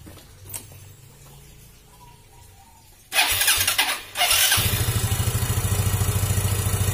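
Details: Yamaha Xeon GT 125 that stalled with unstable idle, after cleaning the ISC air passage: after a few starter bursts it catches and settles into an even, steady putter around three beats a second; healthy idle.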